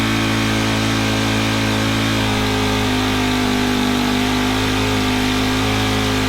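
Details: Honda FG110 tiller with GX25, after cleaning oil-soaked air filter and with oil low: raised, slightly uneven drone never dropping to slow idle; overtight 10mm throttle-cable nut stops throttle returning, to be loosened.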